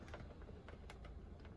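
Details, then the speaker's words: Tribute T720 motorhome fridge set to gas with the bottle on: faint, uneven ticks every few tenths of a second as the igniter sparks and self-ignites the burner; normal operation. "So your gas, put on gas, make sure the bottle's switched on. You'll hear it ticking, it self ignites."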